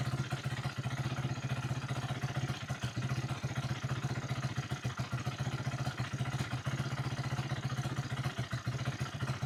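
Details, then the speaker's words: 2008 Yamaha YFZ450 single-cylinder quad, idle turned up and choke on: idle stumbles and hunts with irregular, choppy firing; carburetor leaking badly, giving a rough idle. "Carburetor is leaking bad. So, carburetors are leaking."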